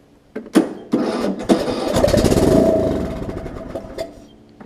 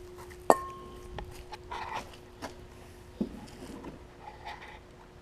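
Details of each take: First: Long-sitting John Deere LA105 mower, carburetor off, starter fluid sprayed into the open intake port: a few cranking bursts, then it catches and runs a couple of seconds before dying; engine cranks and fires fine. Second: Long-sitting John Deere LA105 lawn tractor after fuel cleanout and carb cleaning. Several cranking tries, then a ragged run that surges and dies in about five seconds, running only on starter fluid. Owner suspects air or jets not picking up fuel. Fuel starvation.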